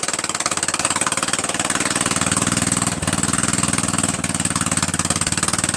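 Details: Murray Widebody LT 14.5 42" lawn tractor just started on added gas: raw, sharp exhaust popping at a steady fast beat near 230 a minute, with harsh crackle on top. Loud because the muffler is missing.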